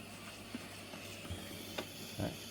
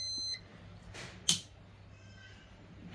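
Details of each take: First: Panasonic SR-SPX104 induction rice cooker, a repair for no power, running quick-cook at about 7A: a quiet, steady airy hiss with soft puffs as steam escapes out the back. A leaking lid seal, which also makes rice spoil quickly. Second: Panasonic SR-SPX104 induction rice cooker, repaired for no power and lid steam leak, partly reassembled and plugged in for a test: two short high beeps about three and a half seconds apart, display lights up; powers on normally.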